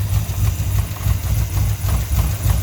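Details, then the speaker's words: Ford 5.0 (302) with X303 cam, BBK headers and 70 mm throttle body, smog pump deleted: steady even idle with no belt clatter once the idler pulley is held; the 90-inch serpentine belt is too long, needs about 89.5-inch. "it no longer clatters we need a little bit shorter build"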